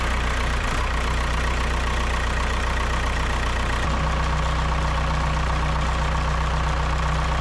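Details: Kobelco SK120LC Mark V excavator diesel, about 7,000 hours, just after the thermostat housing leak repair: steady, even idle with a firm low rumble and no ticking or rough beats; normal idle.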